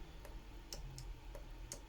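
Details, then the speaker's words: VW Tiguan MK1 fuel injector on a pressurized bench tester, short continuous pulse mode: quiet sharp clicks a few times a second, solenoid switching but no spray, fluid leaking outside; injector clicks but does not spray. "and we hear the injector actually clicking not sure whether you can hear that but there is actually nothing that's coming out of it so that is a bit of a problem obviously"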